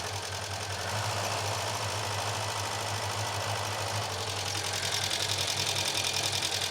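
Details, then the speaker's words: Chevette barn find first started after fuel was put into the carburetor bowl and the fuel pipe and clips were replaced: slightly lumpy idle with an uneven, pulsing beat; a slight misfire at idle. "There is a slight miss."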